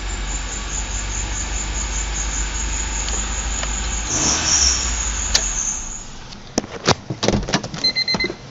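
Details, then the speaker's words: 1998 Honda Civic LX 1.6L, first start after timing belt replacement with coolant topped up. A thin, steady high squeal rides over the idle with no knocking; the cause is a shot idler pulley bearing that got very hot within seconds: idler pulley bearing squeal. "I narrowed down what that squeaking was. It was actually this bearing in one of the idler pulleys. This one's shot and it got wicked hot as I was running it, just for like the couple seconds that you saw me run it."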